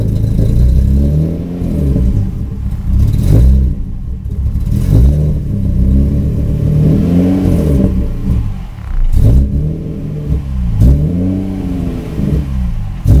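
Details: 1994 Subaru Impreza with an EG33 engine swap, intermittently losing power warm or cold with no check-engine light: at half throttle the revs drop, surge and sag, struggling to climb as if not firing on all cylinders. Misfire and hesitation.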